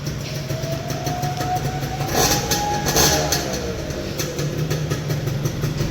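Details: 2002 Yamaha F1ZR two-stroke just restored to original, idling as rain starts: steady, even idle with a faint whistle over it and rain hissing behind; normal healthy idle.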